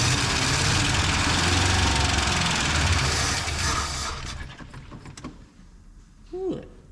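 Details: Long-sitting V8 revival: rough, loud running with quick clacking over it before cutting out; sounds like a bent push rod in the valvetrain, vacuum leaks to be checked and valve cover gaskets changed.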